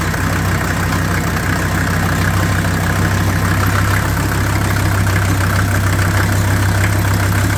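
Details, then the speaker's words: 1983 Mercedes 300D, OM617 five-cylinder turbo diesel: steady diesel clatter at idle after glow plugs with a slightly uneven, lumpy beat as oil still in the cylinders burns off; it is not expected to run smoothly yet. "and it is expected that it's not going to run perfectly smooth because of the oil that's in there"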